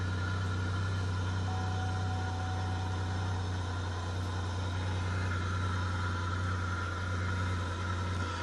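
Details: 2003 Chevrolet Monte Carlo SS revival, started after a plug was reconnected and the fuel pump primed: steady low idle hum with an even, unhurried pulse, nothing knocking or ticking; engine settles and runs smoothly.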